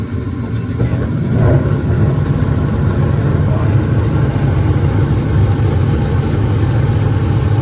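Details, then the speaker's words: Attic gas furnace started by touching red to white thermostat wires, fan coming on after a click: steady low rumble with an even blower hum; furnace running its heating cycle normally. "this is everything normal and it's running good"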